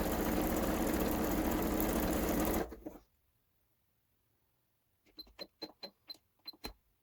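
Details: Kenmore 385-19550 sewing machine being tested after repair of wrong pattern stitches and speed control, speed adjustment screw centred: motor hums smoothly a few seconds, then short burst of light, even needle clicks, no grinding or knocking.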